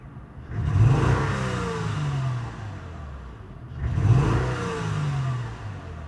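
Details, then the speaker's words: 2003 Acura TL Type S 3.2L V6 with codes P0300, P0301, P0302, P0304 and warning lights: two throttle snaps with lumpy, stumbling revs, obvious misfire, later traced to one dead cylinder. "it's an obvious misfire as I snapped a throttle you can hear an obvious misfire going on hopefully the camera could pick it up"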